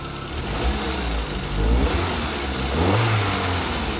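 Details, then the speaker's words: Car after cleaning its fuel injectors at home, started cold with a good idle: quick revs pick up cleanly and settle back without stumbling; healthy throttle response. "e olha um buraco na aceleração e não deixou acelerar de uma vez para ver como é que comporta ó tá obedecendo bacana"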